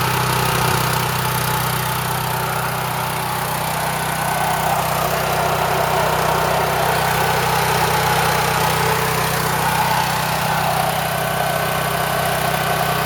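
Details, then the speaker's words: Champion Power Equipment generator (6,000 W running, 7,000 W peak), sat about 2 years, new battery. It runs loud, steady and even under the governor with no misses or hunting. The mechanic says Champions run lean. "it's running pretty good these Champions are okay generators they're not my choice of generator but yeah definitely loud"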